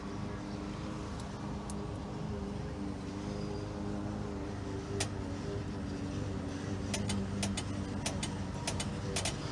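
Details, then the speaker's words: 1995 Ford Mustang GT convertible top system, ignition on, top switch moved from middle to left, motor disconnected as suspected shorted: crisp dry clicks over a low hum, one then a quick cluster; relays switching normally. "okay so so that's so these relays are are are clicking"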